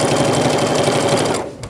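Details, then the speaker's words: Sewing machine stitching quietly after the thumping/pounding, caused by too large a needle, was cured. A quick, light, even patter with no heavy thump on each stroke. "see how quiet that was alright that was quiet"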